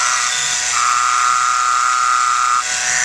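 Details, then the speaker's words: 2013 Jeep Wrangler JK 3.6L Pentastar, heard through a steel rod held on the idler pulley, before replacement; the other pulley is quiet. A harsh, steady high whine from bad ball bearings: idler pulley bearing noise. "so I'm quite convinced now that what I have is a very bad a very bad set of ball bearings here inside my idler pulley"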